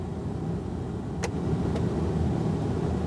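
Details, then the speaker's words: Ford E-350 Super Duty van after replacing the dashboard front blower motor control switch, battery reconnected, key on, vent mode: steady even fan rush with no rattle, whine or catch, a couple of light clicks; normal blower operation. "So now let's see if our switch works. Key on. We'll just put it on vent and turn that blower on."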